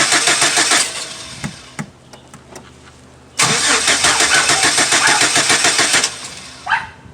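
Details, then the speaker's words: 2006 Chevy Silverado 4.3 no-start, cranking with gas pedal held: starter churns unevenly with sharp booms and brief catches but no sustained run, showing fuel and spark present. "so after I'm holding the the gas pedal as I'm cranking it and you hear go boom boom boom obviously we know something as we're getting fuel and spark"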